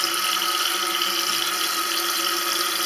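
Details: Toilet cistern with worn float/fill mechanism: steady hiss of water trickling without pause, refill never stopping, water escaping through the overflow; cistern overfilling, remedied by turning the float screw to lower the level about 1 cm below the edge.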